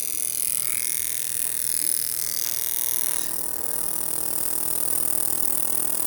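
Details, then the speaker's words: Foxbody Mustang V8 fuel injector on a cleaning/test rig, constant pulse high power: crisp even clicking about four per second, no misses or buzzing, fine atomized mist spray; clean injector, normal operation. "So, we're going to turn this sucker on constant pulse, high power, and put our fluid through it. And we're going to look at our spray pattern, and we want to see a nice mist rather than like individual streams."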